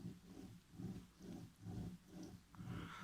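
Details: Rear differential (final drive) off a Volvo 960 with Multilink II rear suspension, turned by hand after removal: rough growl swelling and fading about once a second; owner reports it howls, worse on overrun, seal leaking; worn gears or bearings suspected, not confirmed.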